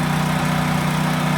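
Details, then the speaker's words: Small generator engine revived after checking spark, idling on its own to cycle old bad fuel through: steady, even hum with faint regular pulse, no misses or hunting; normal idle. "that bad fuel and stuff cycle through. Make sure it's going to sit and idle on its own. But uh cool. That one's running quick."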